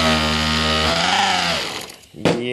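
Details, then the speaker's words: Nitro RC engine on a garage break-in bench, first tank, on a 50-degree evening, just started with glow igniter: high buzzing note sags and nearly dies then revs back up, blubbery, needle set way too rich. "this needle is just way way way too rich"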